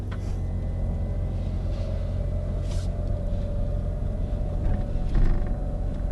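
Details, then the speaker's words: Brand-new Rivian R1S electric SUV in cabin while driving: faint steady motor whine, a vibration-like grind, over deep road rumble with suspension thumps over bumps; noisier than a Tesla Model X or Model 3. "you definitely hear the motors it's almost like a vibration it's like a vibration grind and motor noise"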